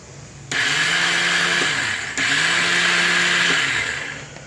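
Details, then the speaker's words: 2004 625 motorcycle that sat unused, key on, fuel off: the electric starter gives a smooth high whir in two bursts, spinning freely without turning the engine over. Owner suspects a fault inside the casing, not confirmed. "So, since the electric starter itself is trying and spinning, which there's the electric starter there, okay, I'm thinking it's something in the casing itself."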